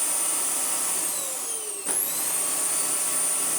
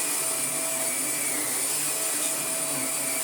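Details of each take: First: Vax Air Pet U88-MA-SE upright vacuum, shed-stored about two years, before refurbishment: high motor whine with a pitch dip and recovery and a faint uneven flutter as the brush roll wobbles; seized brush roll bearing. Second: Vax Air Pet U88-MA-SE upright vacuum, stored in a shed about two years, first power-up before refurbishment: steady, even high-pitched motor whine, constant pitch, no rattle or grinding, good suction and brush roll turning; normal running.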